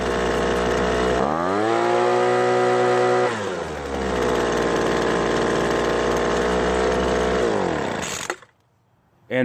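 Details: Poulan Pro two-stroke leaf blower that would not start after years of storage, running on fresh 2-cycle fuel after the old gas was drained, no carb clean: fires cleanly, revs up and drops back to a steady idle. Normal running.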